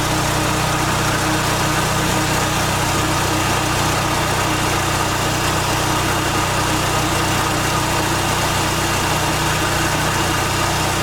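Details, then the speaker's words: 1989 Dodge Daytona ES on a lift after exhaust system completion, engine cold: steady, even idle with a smooth low rumble and no knocks, paint burning off the converter; normal idle. "so we are still in the air and we got the exhaust finished thank you a little cold nature but uh sounds good"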